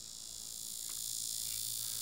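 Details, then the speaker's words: Hobby servo driven by PCA9685 controller from Arduino, commanded to pulse value 110 below its minimum: steady high insect-like buzz straining against its end stop, risking servo damage; 120 borderline, 125 chosen as lowest safe value. "C'est très important si je fais un 110 maintenant ça fait du bruit Je ne sais pas si tu peux l'entendre, laisse-moi le rapprocher du microphone"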